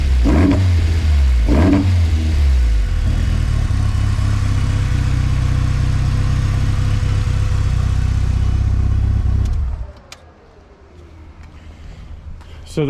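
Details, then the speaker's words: Big-cam engine with new fuel pumps and injectors idles smoothly around 1000 rpm after sitting neglected, but throttle blips sound boggy and dump big black exhaust clouds; running rich (pig rich) on throttle. "big black clouds are what i'm trying to correct so that's next"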